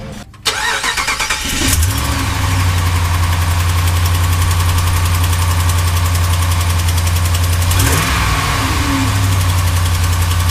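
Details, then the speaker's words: Dodge Ram Hemi V8 at cold start: light fast ticking from driver-side exhaust manifold leak due to snapped manifold studs, fading as it warms and the gap seals; fix is stud replacement. "rst start the truck up you hear the ticking for a little bit once it heats up a little bit I guess everything expands a bit and it seals up that gap"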